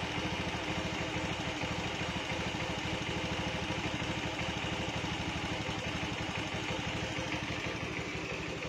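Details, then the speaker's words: Honda Beat with a stock carbureted engine, fitted with a PE24 carburetor during initial setting. The idle stumbles and wavers with an uneven, popping beat instead of a smooth patter. Uneven idle; mixture possibly too rich, not confirmed. "Nah kalau suara rangsam seperti ini Kalau menurut saya Ya nah agak masih ada bledak-beduk belum normal di bagian suaranya ya"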